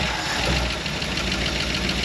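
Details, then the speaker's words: Early-1960s Ford F100 unibody, first start after 25+ years abandoned, idling with 60 psi oil pressure: rough idle with a puffing, ticking hiss from an exhaust leak, plus some noisy lifters. "that's exhaust leaking that's not bad some noisy lifters"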